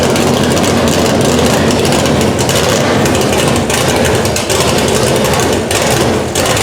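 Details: Chevelle with a newly installed Edelbrock Pro-Flo 4 EFI at first start on open headers, injection not yet fine-tuned: loud, raw, choppy V8 burble with sharp exhaust crackle and no knocks or squeals; normal idle.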